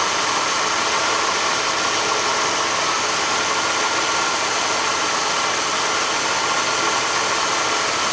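Constant dry rasping hiss over the running engine with no rhythm or pitch change, like a worn bearing scraping; a bad water pump bearing.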